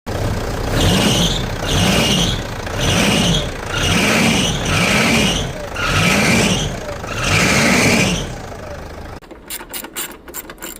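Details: Pajero alternator belt squealing when accelerating: a high squeal rises and falls with each quick throttle blip, the alternator belt slipping under acceleration.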